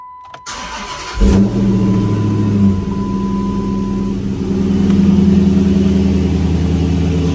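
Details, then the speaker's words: 2006-10 Dodge Charger 5.7 Hemi, first start after replacing water pump, timing cover gasket and radiator: a brief crank, then a smooth, even idle with no knocks or ticks, and no leaks. Normal start and idle. "No leaks. Everything looks good. Everything sounds good."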